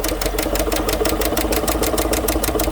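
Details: 2015 GMC Sierra 1500 Denali 6.2L V8 at idle with a sharp, even tick of about six per second from the passenger side. The cause was a bent, broken number 6 intake pushrod; a stronger pushrod is the suggested fix.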